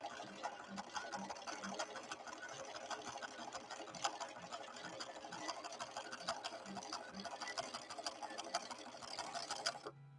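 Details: Late-1970s Viking Husqvarna 6460 Colormatic after several repairs, sewing the green snaky decorative stitch: quick even needle ticking at a steady pace, light and clean with no knock or grind, then stopping; normal running.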